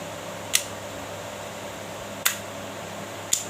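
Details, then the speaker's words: Magnetic contactor, previously very noisy, checked after fix with coil powered via A1/A2: near-silent, just three sharp clicks, no buzz or hum; now holding in cleanly. "কী করবো আমরা এখান থেকে আমরা এটাকে লাগাবো এবং দেখুন ভিউয়ার্স, রিয়েল ভিউয়ার্স দেখছেন কোনো আওয়াজ নেই।"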